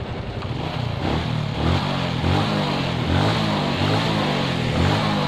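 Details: Suzuki Shogun 125 with shorted CDI, running on the old CDI with the battery removed: lumpy idle swelling and sagging about every second, idle not steady enough; CDI suspected shorted.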